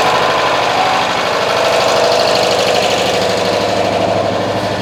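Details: Citroën AZU twin-cylinder being recommissioned, choke cable just fitted: it putters at a slow, slightly uneven beat with a rough edge. The idle seems a bit low and perhaps needs raising. Low idle speed.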